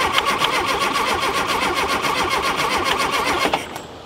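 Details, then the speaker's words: Rare VW Super Beetle Baja Champion Edition, first start attempt in years: the starter cranks evenly, nearly four beats a second, for about 3.5 seconds without firing. Crank no start; timing and spark at the points to be checked. "That should have just fired right off. And it did not. What am I missing, guys?"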